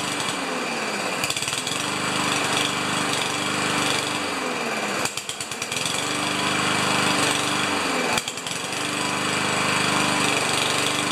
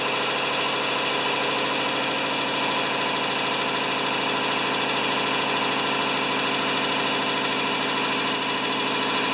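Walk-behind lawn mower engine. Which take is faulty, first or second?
first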